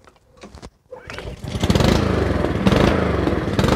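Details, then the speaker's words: Honda HRR216 auto-choke mower out of winter storage, fresh ethanol-free fuel, choke set to fast: a pull or two, then it catches quickly and runs at a steady, even buzz without surging. Normal start. "And see if it hot starts. Sounds good."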